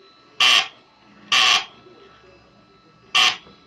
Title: HEQ5 SyncScan typical abnormal sound (duck quack) VID 20170927 154810